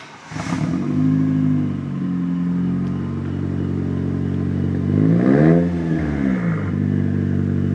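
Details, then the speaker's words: Toyota Tercel with rebuilt 4E-FTE turbo swap, metal head gasket (190 psi compression all cylinders), near 3-inch exhaust with catalytic converter; crisp, even revs climb and fall cleanly, steady strong exhaust note, no knocks or misses: normal revving. "It's got a 4e-fte swap. Got somewhat close to 3-inch tubing all the way back. It's got a catalytic converter and a turbo."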